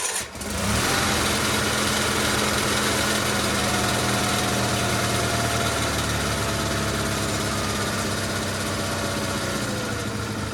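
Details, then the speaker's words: GT/18 twin after ignition rebuild, no choke, low idle: catches and settles into a steady, slightly uneven patter; runs better than before, charging system working, carburetor still needs tuning. "Now she just needs a carburetor tune and she'll be good to go. Runs a lot better than it did, I think."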